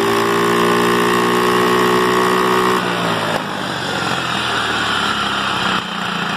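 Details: GY6 scooter that started but lacked power and backfired, after replacing the CDI unit: buzzy single-cylinder note climbs cleanly, drops and picks up again without stumbling or bogging; normal revving after CDI fix.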